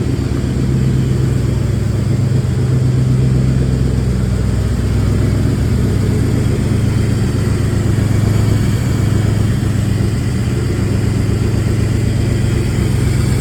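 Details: Rough, lumpy idle pulsing about four beats a second; engine has known exhaust leaks, tries to stall when braking, minimal power, no engine light; owner suspects timing, cylinder head, distributor, CMP or MAP sensor, cause unconfirmed.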